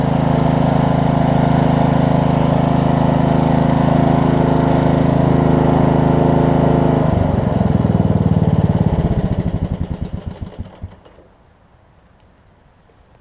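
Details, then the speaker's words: Briggs Intek single-cylinder on a Snapper RER mower, hot restart after about 15 minutes running following camshaft/ACR replacement: smooth steady drone, no knocking or smoke, then coasts down evenly; healthy, sometimes backfires. "runs great there's no knocking no smoking it's actually kind of surprised it didn't even smoke"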